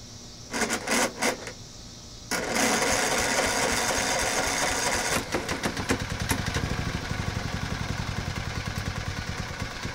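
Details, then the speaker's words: 10-year-old motor that sat in a garage a long while, just revived: a few cranking bursts, then it catches and settles into a steady, even putter with no knocks or misses; runs fine. "But yep, thought I'd let y'all hear it run."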